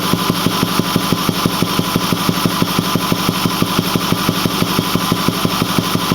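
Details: Ford 6.4L diesel, 208,000 km (129,000 mi), Banks 6 Gun and Ram Air cleaner, runs smooth with full boost: at idle a regular deep thump about twice a second over the clatter from the intake; cause unknown.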